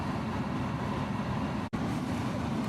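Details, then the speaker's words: 2001 BMW 330i after replacing the blower motor resistor (fan had been intermittent and ignored speed control): engine started, fan comes on instantly and turns up; steady even air rush, no squeal or ticking; normal blower operation. "Oh, instantly got the fan already. Hear it? I don't know if you can hear that or not, but I have a fan. I'm going to see if I can turn this up and... Oh, that's beautiful music. Beautiful."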